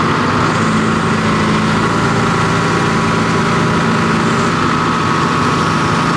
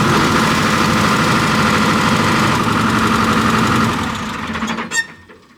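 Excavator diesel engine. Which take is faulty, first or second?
second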